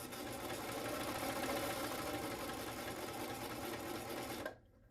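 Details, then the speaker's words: Baby Lock Imagine serger during service, first power-on after being mis-threaded and hand-turned to check clearance: fast even whirring stitch rhythm, no knocks or catches, stops cleanly; runs healthy. "Comes on. We're going to see if it runs. Sounds good so far."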